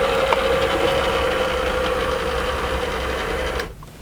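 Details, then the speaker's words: 1982 Renault Fuego power fabric/vinyl sunroof closing: steady mid-pitched electric motor whir for about three and a half seconds, then a clean stop as it seals on its soft seal. The roof drive works normally. "this is something I've never seen before a kind of a vinyl or a fabric based roof that just opens and closes it seals on this soft seal here so rain doesn't get in"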